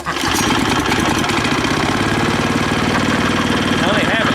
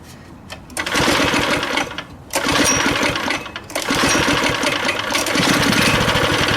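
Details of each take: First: Neighborhood go-kart small single-cylinder engine, possibly a replaced engine, idling on choke while warming up before a test drive: quick, steady, even beat with no misses or knocks, normal idle. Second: Neighborhood go-kart single-cylinder engine running after fuel was switched on and carb cleaner was sprayed in. It pops with sagging dips and no rise in speed because the throttle does nothing. The owner suspects missing linkage.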